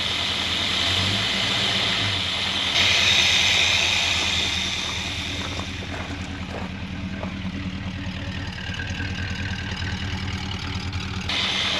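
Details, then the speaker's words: 1963 Jaguar Mk10 with Mopar 440 V8, off the road since 1972: low, steady idle with an even beat and no knock, 80 psi oil pressure; smooth and quiet, earlier lower-crank noise suspected from main or thrust bearing play. "It's got 80 psi oil pressure. Woo! Smooth, quiet."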